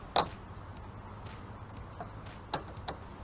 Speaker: tighten down on there you hear that that's the click for the brake light relay